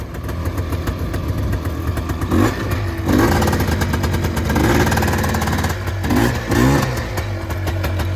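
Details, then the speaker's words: Honda FL400 Pilot shifted into reverse: steady idle with short throttle blips as it pulls away, no grinding or clunking; straight-cut gearbox sometimes needs revs between gears; normal reverse gear operation. "Okay, you can see reverse works. I'll go back to forward. Sometimes you have to rev them between gears because they have straight cut transmission gears in most of the box."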